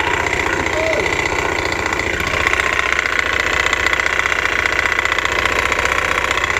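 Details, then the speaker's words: Honda Beat FI scooter, repaired less than a month ago, rough even at idle; tinny, uneven rattle of about three ticks a second over the running engine, suspected from the CVT roller housing; CVT roller housing rattle. "sepertinya suaranya di area Denise rasa ini di area Suzuki Jepang atau rumah roller suaranya ke meletek kayak gini"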